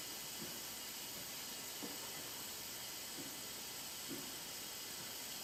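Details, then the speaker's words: Hyundai Genesis 2.0T R-Spec, engine off, leak-down test after compression of 110/70/90/90 and milky oil: steady quiet hiss, about 80% leakage out the exhaust side; exhaust valves not sealing, head gasket also considered. "is that going yeah we got an exhaust valve from [Applause] or a head gasket"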